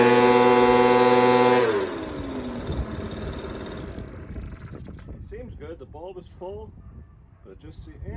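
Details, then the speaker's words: Echo PB230LN older handheld two-stroke blower that wouldn't rev up, running with a rock-hard purge bulb after new fuel line and filter; steady high buzz holding even revs a couple of seconds before shutting off; it's going, working. "It's going. It's working."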